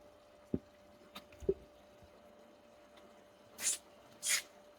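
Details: Sun Sun HBL hanging aquarium filter pump after fixing air-lock ("e khí") noise caused by an outlet flow set too high: a faint steady hum under drips and splashes, no rattle or gurgle; normal quiet running.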